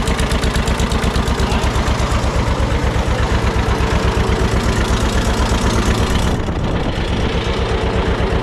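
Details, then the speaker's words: Barn-find John Deere 630 tractor, just started on first try at about half throttle with a little choke, good oil pressure. Rough low idle with a steady puffy tick, about three a second; exhaust manifold leak suspected. "Sounds like we got a little bit of a ticking noise, too. Could be a manifold leak."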